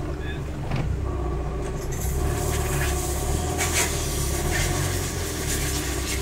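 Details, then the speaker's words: Chevrolet Corsa, weak with loud noise, hard to start; rough, loud running with harsh uneven clatter; owner first feared broken camshaft, but the crank pulley had slipped on a sheared key, throwing timing out. "Fala galera de novo coração quebrou tá um barulho desgramado eu acho que quebrou o comando galera"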